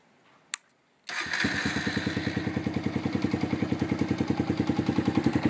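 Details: Honda FTR223 modified to 125, single cylinder: starts cleanly, then idles with a sharp, regular clatter on each firing pulse, heard only while the engine is cold; engine noise when cold, cause suspected but not confirmed.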